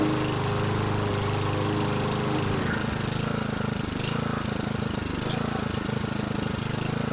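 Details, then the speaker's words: 2011 Toro Recycler mower, model 20376, after blade brake cable replacement, run on a little gas after two adjustments that raised rpm: the engine chugs fast while speed and pitch wander; hunting idle, owner plans a Seafoam treatment, cause unconfirmed. "Made two adjustments and increased the RPM. So anyway, that's the deal. You could hear the fluctuation in the idle."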